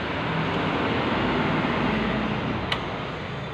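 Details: Suzuki Satria FU 150 after an engine rebuild; steady, even engine drone with no knocks, ticks or rattles, the engine sounds smooth: normal running.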